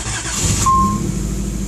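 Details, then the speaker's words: Nissan 300ZX first start after timing belt refit and coolant temperature sensor replacement: quick crank, catches and settles into a steady low idle, no misses or knocks; normal start. "ah she ran well there goes my"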